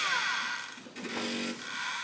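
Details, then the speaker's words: LTO-4 tape drive in a rebuilt server (Aaeon EMB-B75A board, Intel i3 3220) running a backup: soft even whir with steady high hum, no clicks or scraping; drive writing normally. "okay so uh let's run and see what happens and go sounds like it's having no problem"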